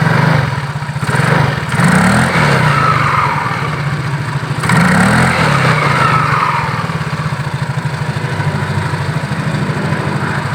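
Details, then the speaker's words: Yamaha Mio GT scooter CVT after repair of damaged parts, previously rough-sounding and not moving though engine ran; revving with an even pulsing beat, no grinding or slipping; belt drive now engaging properly, normal CVT operation. "oke mas Bro sekarang sudah bisa berputar dengan sempurnakan sudah bisa menggigit dengan sempurna ya karena memang yang rusak-rusak tadi sudah kita benarkan ya"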